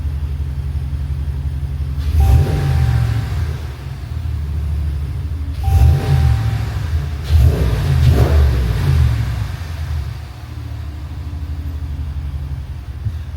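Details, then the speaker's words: Truck engine revving after idler pulley replacement, which had caused a turbo-like whine. Deep, clean engine and exhaust note rising and falling through several blips, no whine on top. Normal revving, fix successful. "That piece that I showed you that I changed, that sound is gone. Thankfully, I got the right piece. And now I don't hear any more whining. It's just straight menacing engine and exhaust."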